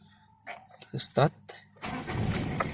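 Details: Ford Ranger diesel with a hard morning/cold-start complaint, long unused and cold overnight: after some voices it catches on the first crank and settles into a steady clatter, a clean, healthy cold start.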